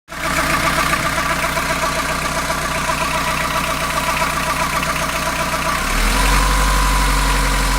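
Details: Fiat Ducato diesel van at warm idle, noticed after coolant change: steady rattling beat about four per second from the belt side that shifts and deepens near the end, only when warm and idling; cause undiagnosed.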